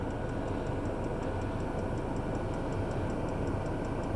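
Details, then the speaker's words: Chinese diesel night heater in a camper van, running on red diesel from a tank behind the driver's seat; light, regular fuel-pump clicking about five a second over a steady fan hum, normal. "the fan turns down the diesel fan the diesel pump sorry which is the clicking noise you hear that goes right the way down"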